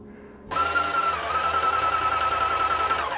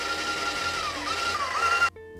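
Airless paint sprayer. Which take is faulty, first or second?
first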